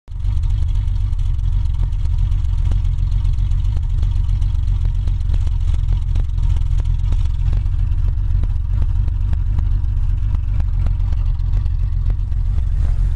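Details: 1987 BMW 325ic M20 idling deep and lumpy with uneven pulses and dips, as if running on five cylinders; one cylinder seems not to pull its weight. Cause suspected, not confirmed. Rough idle.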